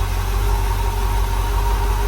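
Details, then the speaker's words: Rebuilt small block Chevy V8 in a dump truck on its first startup, burning oil off the headers, with the air filter off and timing not set. Deep, even idle with no knocks, ticks or misses at about 50 lb oil pressure. Normal idle. "Sounds pretty good. [Applause] What kind of oil pressure is it running? About >> 50 lb. That's good."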